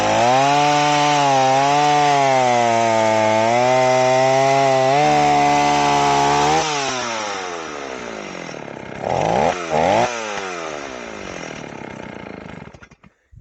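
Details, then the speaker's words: Old Stihl 038 AV chainsaw after a carburetor swap, first warm test cut in a log: it pulls through with a full, slightly blubbery tone and never screams clean at top revs, so the carburetor mixture is a little rich and can be leaned out. "of sounds like my tune is a little rich on here, which is fine. We can always lean it out a little bit,"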